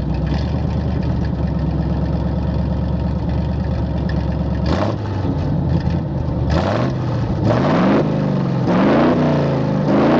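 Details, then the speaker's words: 1968 Chevrolet C-60 flatbed truck, 327 V8 with 2-barrel carb, headers and glasspack mufflers, four-speed, just started with ether; loud lumpy idle then sharp uneven blips, gas pedal extremely touchy, temporarily fitted with a stronger return spring. "the gas fells extremely touchy so I put me a big-ass spring on it for now"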